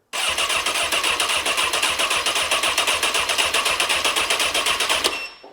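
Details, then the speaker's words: 2003 Honda CBR954RR, wrecked and sat outside 15 years, starter solenoid jumped directly with no key power: fast even starter chatter about four beats a second for five seconds, engine turning but never catching; cranks, no start. "I'm going to let this crank for a second. That was a starter going. Cranking the motor."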